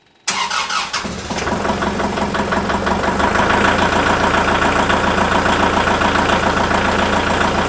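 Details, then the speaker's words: GOOLOO GP4000 4000A jump starter pack hooked to a tractor that normally cranks slowly: quick, brisk cranking at about three and a half turns a second, then the engine catches and settles into an even run; fast cranking and start. "With this power bank hooked up to the tractor, when I start it, you should be able to hear how fast it cranks compared to my normal slow crank that I normally"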